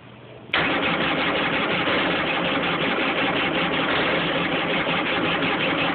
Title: JS 550 won't start.